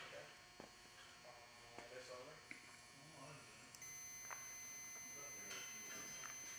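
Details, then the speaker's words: Furnace draft air flow switch, normally open, checked with a meter on continuity: quiet, then a steady high meter tone comes in and holds as pressure closes the switch, showing normal continuity. "you hear the buzzing and it goes to zero for continuity"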